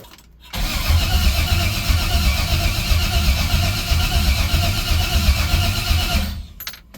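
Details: LS-swapped 1968 Cadillac hearse, 6.0 LS with carburetor, no oil pressure: starter turns steadily about four beats a second for six seconds, never fires; cranks but won't start. Crank sensor suspected.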